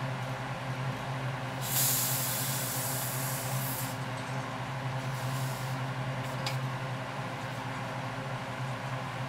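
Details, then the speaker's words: Coleman 424 dual fuel camping stove: a low hum, then bursts of airy hissing that fade as the filler cap is turned in small steps to bleed fuel tank pressure until no sound remains. This is a normal release before opening the cap. "all right so there you have it just slowly do the cap like that and bleed that pressure off"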